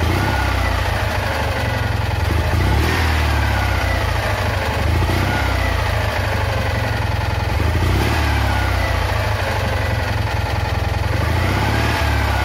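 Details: Citroën Ami 8 flat-twin, hot, coil warm: low idle with an uneven beat and occasional dropped pulses, still missing; ignition misfire the owner attributes to the condenser.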